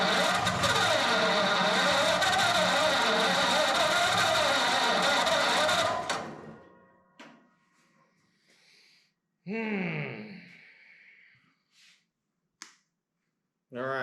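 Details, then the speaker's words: Flathead Ford 8BA V8 converted to 12V with new points, condenser, cap, rotor and coils, first start attempt after a starter-button swap: six seconds of steady fast cranking with no firing. Fuel delivery suspected; a direct line from pump to tank is planned. "I think my last thing to do is going to be um run a fuel line all the way from the fuel pump to a gas tank and see what it does I think [Applause] it's trying though"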